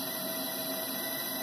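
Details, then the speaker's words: LG three-phase BLDC direct-drive washing machine motor on TECO-Westinghouse L510 VFD (120 V in, 220 V out) at about 350 Hz: steady clean high-pitched singing at resonant frequency; normal running. "you can hear it singing that's a resonant frequency for this motor at this voltage so that's actually the most efficient you know that this motor is going to run"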